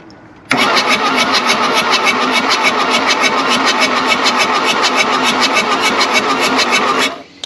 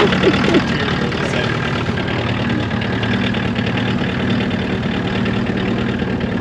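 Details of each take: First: 1979 Mk1 VW Rabbit diesel, long-dormant, cranked with all four injector lines loosened to bleed: even, brisk cranking at about three and a half beats a second, no knocks or scrapes; good oil pressure, injectors pushing fuel. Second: 1979 Mk1 VW Rabbit diesel after long storage, first start after glow plugs: loud uneven clatter around four beats a second that never settles, blowing some white smoke of unburnt fuel; rough idle.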